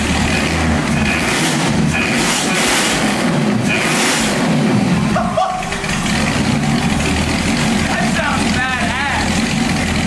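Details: 1965 Mustang with supercharged, aluminum-headed 289 V8 and big cam, in the rain: a deep, strong engine pulls cleanly with steady firing and no misses or pinging. It runs healthy.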